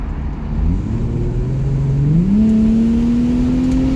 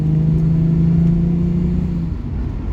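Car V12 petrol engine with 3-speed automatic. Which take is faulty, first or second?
second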